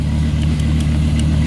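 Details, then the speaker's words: 1990s Dodge V10 with Tremec T56 manual, exhaust banks of five cylinders each kept separate: deep steady lumpy burble with even low throb, no knocks or ticks; healthy idle, runs a little rich. "take a listen to that exhaust so you have five cylinders on that side and five cylinders on this side and they don't meet up at all which gives it this kind of like angry UPS truck sound"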